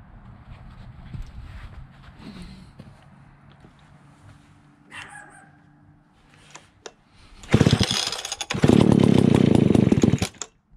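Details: Old, beat-up Alpina Pro 120 chainsaw, 120cc, after a carb kit (TRK-23HS, HS-144B carburetor); it still leaks from the carburetor at idle. After a long quiet stretch it fires and revs in choppy, uneven bursts, running roughly; low compression from a worn piston is suspected.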